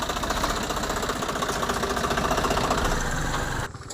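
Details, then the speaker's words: Swaraj 744 FE tractor after gearbox repair for a noise only in reverse, test drive in reverse: steady diesel beat with no gear whine or grinding; customer confirms the noise is gone, gearbox sound. "Okay అన్న బాగుంది బాగా చేసినావ అన్న ఏం sound ఏం రాలేదు sound ఏం లేదు కదా"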